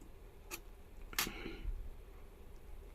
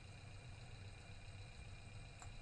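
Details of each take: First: Faulty EPS (electric power steering) module causing hard steering: N-type MOSFET tested, probe clicks then a steady meter beep between gate and source, indicating the MOSFET is shorted. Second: Electric power steering module bench-tested on EPS tester with scanner, 12 V supply, steering turned: steady low hum with faint constant high whine, no grinding or clicking; normal running.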